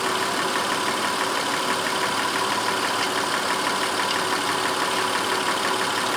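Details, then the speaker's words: 2004 Honda Pilot 3.5 V6 after the cylinder 4 misfire was traced: steady, even idle with no stumbles or skips over six seconds, runs smooth as glass with no misfires. "you know it took a while for this problem to show up because you know now it runs smooth as glass and certainly don't misfires"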